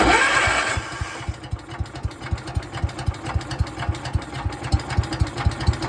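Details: 1972 John Deere 110 garden tractor single-cylinder: brief cranking whirr, then uneven lumpy pops about four per second; rough hard start, owner believes a blown head gasket, not confirmed.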